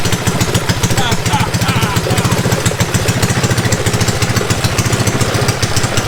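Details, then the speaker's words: Mini bike small single-cylinder engine on a chilly day, after chain work. Steady, unbroken thumping at about three and a half beats a second: normal idle. "But we should be able to start it up. There she is. Running like a rare pig."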